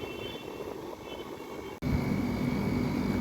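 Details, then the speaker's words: AC unit restarted after servicing and a fix for its noise issue: a short cutout, then a steady, even hum with no rattle, knock or scrape; it runs normally. "चलिए start तो हो गया ऐसा कोई आवाज नहीं आया अभी तक तो देखते हैं हमको 5 10 मिनट इंतजार करना पड़ेगा"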